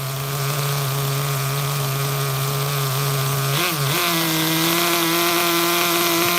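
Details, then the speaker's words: HPI Super Nitro RS4 Dodge Viper nitro RC car, cold engine at idle: high steady buzzing idle that burbles and dips briefly before settling higher; mixture too rich. "Too rich. Engine is cold."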